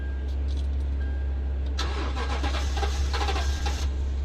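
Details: 2012 Toyota Tundra crank no-start: starter cranks in a rough, choppy burst for about two seconds and the engine never catches; no fuel delivery, problem in the fuel pump ECU.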